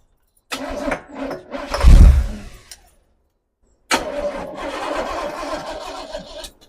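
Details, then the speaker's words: 1982 Chevy El Camino V8 with Holley 750 double pumper carb, mechanical secondaries, after idle and mixture adjustment; quick crank, clean catch, steady even idle, no misses; normal start and idle. "So that was sounding pretty good idle wise. It definitely was. Let's start it up again. Let's see what it sounds like. Let's see if it starts up."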